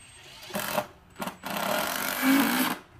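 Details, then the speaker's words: Dong Cheng cordless impact driver driving fasteners into wood: short fast buzzy rattling hammer blows building as fastener seats; normal impact action, not slipping. "Jadi ini bukan suara selip. Ya, bukan suara memang selip. itunya ya, aslinya. Memang impact-nya kayak gitu."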